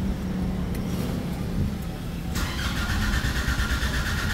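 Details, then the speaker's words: Nissan Navara diesel converted to push-button start, check-engine light on; the starter churns steadily but it never fires; a scan shows five trouble codes, and the fault is attributed to a defective boost sensor. "So yun, steady yung check engine, ayaw umandar."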